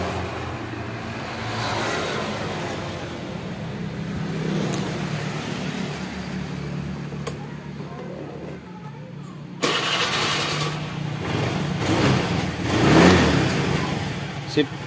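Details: Honda Vario 110 carburetor scooter, recently bought second-hand, after a garage repair made it noisy; with the spacer ring removed to match standard, it revs and settles to a smooth even drone, no grinding or rattle; healthy drivetrain.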